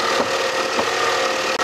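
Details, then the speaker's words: Imported car at idle: steady high-pitched whine from excessive belt noise over the running engine. "이 소리 들리지? 고무 펴서 이거 껴줘야 되고. 벨트 소리가 너무 나는데?"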